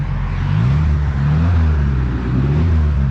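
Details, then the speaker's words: 1972 Ford Pinto Runabout with a restored Motorcraft carburetor, driving and pulling in second gear: deep, even engine note climbing smoothly with no misses, knocks or hesitation; healthy engine under acceleration. "That thing is running right, y'all."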